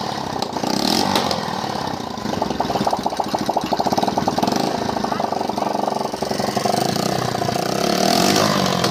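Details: 70cc CD70-type single-cylinder motorcycle with starting problem, after magnet coil current check and spark plug gap corrected; quick, even popping beat at steady speed; engine runs cleanly and sounds healthy.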